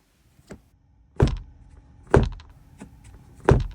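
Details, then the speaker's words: Tesla Model 3 headliner rattle after windshield replacement, heard over bumps or closing sun visors: tapping the roof lining gives dull taps and a light plastic rattle from two broken clips, likely from the camera/mirror harness, loose inside the headliner. "There were two broken clips in the headliner that were rattling around. I'm using my bore scope to peek underneath the headliner, and as you can see, there's a black piece of plastic there rattling."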